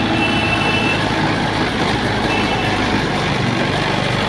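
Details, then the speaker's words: Suzuki Swift just started after fuel line, spark plug and cap refitted, before idle tuning: loud steady fast roar with no rise or fall; idle set too high, about to be adjusted with a screwdriver. "এবার চলুন গাড়িটা heavy জোরে আছে, আমি এখান থেকে টিউনিংটা করবো।"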